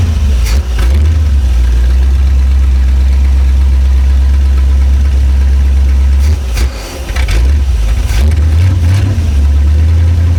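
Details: Loud, deep, steady rumble with a short throttle blip from the V8 in an abandoned, unassembled C10 project truck, running with no exhaust fitted on a first try to see if the engine is sound; runs strong and even.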